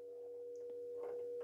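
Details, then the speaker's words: 1960s BWD sine and square wave signal generator driving a small speaker directly without an amplifier at an audio-range setting: clean, quiet, steady tone around 500 Hz with no warble or crackle; normal sine output. "I can then hear a frequency I'm not sure if you can hear that [Music] so that appears to be working quite well it's very quiet but obviously it hasn't got an amplifier and in it but I can get the noise through the speaker so this is the audio range"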